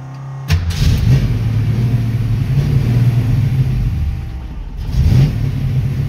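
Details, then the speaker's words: 1966 Mustang with a Holley 650 double-pumper carburetor stalls at idle without throttle: V8 catches, revs, then sags and dies as the gas is released; idle screw adjustment doesn't help. Fixed by adjusting the transfer slot; gasket suspected earlier. "see so the moment that I let off the gas it it died on me"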